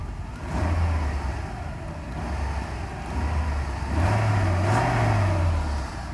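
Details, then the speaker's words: Mercedes SL500 E-gas throttle module test in a 500SEL V8 test car with its own original module fitted: cold-start idle drops to about 650 rpm, and the engine revs smoothly and settles cleanly with each pedal press. Throttle response is normal. "so the cold start deactivates there they go about 650 in obviously our gas response that's the gas pedal here"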